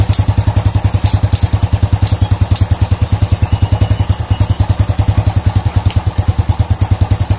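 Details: Old Honda Supra motorcycle after repairing the clutch outer that was loose because its rivets didn't fit the holes: raised revs with even exhaust pulses about eight a second, no clatter or knocking; normal revving, fixed.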